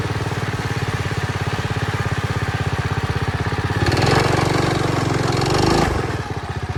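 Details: Early-1970s Pacesetter Trailbuck mini bike on a test ride after fitting a new torque converter not set up for jack-shaft use; engine drones steadily, then revs flare under throttle without matching pull. Torque converter slipping.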